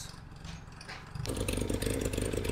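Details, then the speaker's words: Small car restarted after sitting for months: after a blip the engine runs with a rhythmic, chirpy puffing chuff in time with the firing, caused by a bad exhaust blow at the downpipe. "I've got a bad exhaust blow on the down pipe down there that's why she's chuffing a bit near very chirpy"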